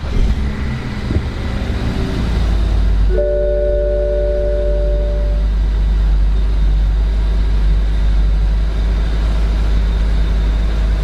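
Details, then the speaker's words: BMW started dead cold after sitting two days: loud, steady rushing roar over idle as the radiator fan runs constantly on high; cause found to be a failed electric water pump. "first fired up and that fan Kicks On High it thinks that it's in this extreme coold down mode it needs to uh bring the temps down"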